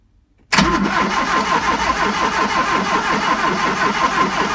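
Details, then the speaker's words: 1971 Fiat 850 Sport Coupe cranking after new coil, points, condenser and distributor arm: starter churns at an even beat but it never fires; no spark, the new points weren't making contact, original points cleaned later. "Still sounds like we're not getting a spark. This is infuriating. Right, well, after much head scratching and some further testing, we found that the points inside here were not making a very good contact."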